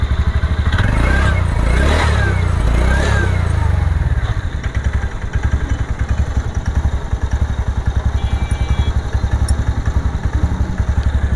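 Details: TVS Ntorq 125 BS6 125cc scooter after an idle rpm fault: after a brief rough patch the single settles into a steady, even putt of about two beats a second, neither hunting nor racing; normal idle.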